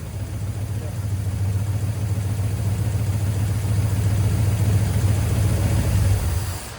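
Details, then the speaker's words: 1972 GMC C10 V8 pickup, sat unused for years, running with fuel pump fed from a can of gas: deep burble swelling slightly with throttle then dropping, no knock or misfire; ran pretty good though very smoky. "Well, there you go. Ran pretty good, very smoky."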